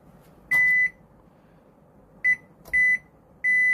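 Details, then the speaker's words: Gree DC inverter AC PCB whose compressor starts then stops at high rpm with no error code: multimeter beeps steadily on the diode test, showing a fully shorted diode. Shorted diode. "ये देखें जी, ये इसका डायोड है जो शॉर्ट हो गया है, full short है ये डायोड इसका।"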